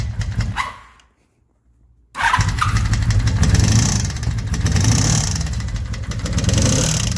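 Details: 1983 Honda Magna 750 V45 before repair: after the start a quick steady ticking rides over the idle and follows engine speed. Valve train tick from a broken valve adjustment screw that required a new head.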